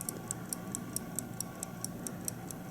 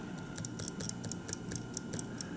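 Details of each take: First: 1950 Buick Roadmaster New Haven dash clock removed for cleaning and oiling: crisp, light, evenly spaced ticks about four to five a second; the balance wheel runs normally, ticking like a pocket watch. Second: 1950 Buick Roadmaster New Haven dash clock on bench: after winding it failed to start, likely from lack of lubrication in the gear train; a tap freed it and it ticks again, crisp and even at about four or five per second.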